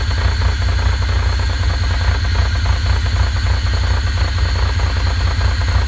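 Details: Pontiac Fiero 2.8L V6, warm idle: deep rumble with repeating knock tapping through it; knock developed when warm.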